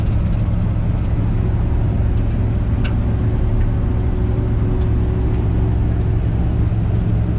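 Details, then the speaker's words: 1976 GMC C15 Squarebody V8 cruising home on gravel after carburetor adjustment, new radiator and tires: low steady drone, even, no misses, knocks or surging; normal cruise, reached 65 mph on pavement. "We did a little carburetor adjustment. This thing cruises so nice now. 100 times better than it was going to Mortske's."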